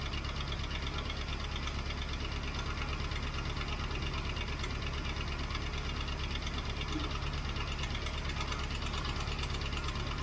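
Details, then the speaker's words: 1967 Mustang 390 V8 idling after carb inlet work, not fully warm: quick steady tick over a loping idle as if not on all eight; noisy lifter, owner suspects a bad cam lobe. "I've still got a lifter making lots of noise a lifter making lots of noise combined with an engine that isn't running on all eight is not really a good sign"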